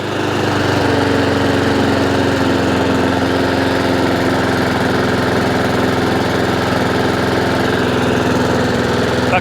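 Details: Honda IZY 19-inch petrol lawnmower after carburettor fuel-leak repair and service, revs raised slightly via governor arm after earlier hunting/surging; single-cylinder engine holds even, steady speed with no hunting or surging: normal steady running.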